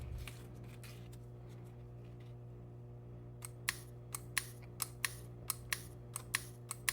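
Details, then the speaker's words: 1991 Nissan 300ZX idle air control valve off the car, FICD solenoid tapped to the battery with alligator clips and held close to the microphone; sharp dry clicks, one per tap, over a steady hum; solenoid works; normal solenoid clicking. "Now, this one, you won't see anything, but you will hear it."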